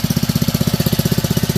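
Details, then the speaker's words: Honda WB20XT4C 2-inch utility water pump, used 5 years, pumping lake water at nearly full throttle; fast, strong, even exhaust pulses with no misses or knocks, healthy running. "So I'm going to increase the water here. Pretty much full speed right now."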